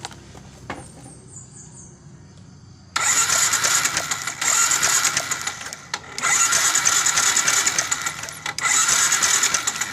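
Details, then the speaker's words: Yamaha Jupiter MX New, ignition checked normal: cranks, catches and runs rough with stumbling revs; hard starting, stumbling on throttle and hesitant midrange, caused by a carburetor never serviced. "karena permasalahan motor ini ada tiga masalah susah hidup jika hidup brebet"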